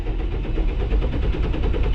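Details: Diesel farm tractor run low on fuel: steady rhythmic cranking that never catches or fires, fuel-starved with air in the fuel line; later started by towing with a chain and popping the clutch.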